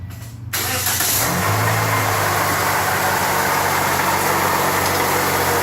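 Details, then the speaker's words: 2008 Toyota Yaris at start-up: the engine fires and idles with a constant whirring, rough hiss over it, sometimes louder. The shop says it is the water pump, consistent with a worn water pump bearing, before replacement. "so we have horrible noise going on there so the shop are saying that it's a water pump"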